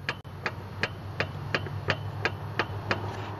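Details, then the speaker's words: Engine off on a Robin EC25-2PG two-stroke in an EZGO golf cart with low compression. The piston is rocked by finger, giving sharp even clicks about three a second as the loose piston slaps the worn cylinder wall. It likely needs a piston, rings and cylinder. "I'm going to touch the Piston with my finger and listen to the noise that's the Piston wobbling back and forth on the cylinder walls it's amazing it even starts"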